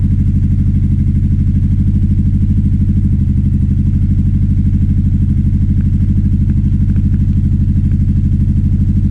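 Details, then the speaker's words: 2009 Aprilia Shiver SL750 V-twin at idle, before throttle body cleaning, tank previously full of sludge: steady loping beat near three per second, speed jumps up and down after about a minute running; hunting idle, no error messages. "It's just jumping up and down. It seems to be happening about after a minute running."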